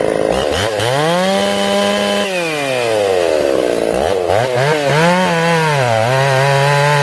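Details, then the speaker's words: Ported Jonsered 630/266 chainsaw, tuned and warmed up in about 110-degree heat: revs rise and sag in the cut, slower than a stock saw, won't hold tune; bogging under load, crank or bearing failure suspected, unconfirmed. "this is me putting it in the wood you can hear it struggling like slower than a stock saw struggling i did two cuts and that was it guys i knew something was wrong"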